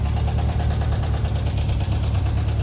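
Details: 1978 Volkswagen Bus 2.0 l air-cooled engine, renewed, converted from fuel injection to carburettor with new carb kit, valves checked, timing set, choke on: steady, even low idle with no knocks or misses; normal idle.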